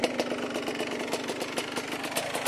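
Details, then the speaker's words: Two-stroke engine at idle after being cleared of oil-logging, smoking very little: crisp, quick, regular ringing ticks over a steady idle. This is the ordinary two-stroke ting of a healthy engine. "Especially right here. You hear that ting. That wonderful two-stroke tinging sound."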